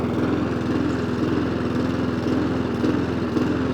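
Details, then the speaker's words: Mountfield SP454 self-propelled lawn mower just started, drive engaged: engine runs with a slight rhythmic rise and fall in its note, a mild hunt/surge; throttle cable not working at the engine end, throttle box lever to be replaced. "Drive? Yes, drive works. Oh well. Yeah, it's got a bit of a hunt to it."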